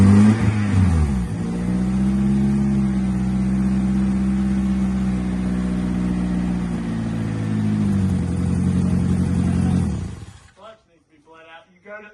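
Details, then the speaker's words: Honda Civic Si EP3 race car, first start after engine install with exhaust fitted and no alternator: fires, revs, then holds an even, clean idle for about ten seconds before shutting off. Normal running. "Got a running motor now."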